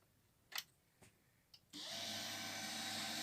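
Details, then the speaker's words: HP LaserJet P1108 printer that was noisy from a piece of wood jammed at a gear, wood partly shifted, cartridge in: a few light clicks then a steady, even whir with no grinding; noise gone. "तो देखिए दोस्तों यह लकड़ी के कारण ही था आप देख सकते हैं बिल्कुल आवाज सही आवाज आ रही है और लकड़ी हट गई है तो ये ठीक हो गया है"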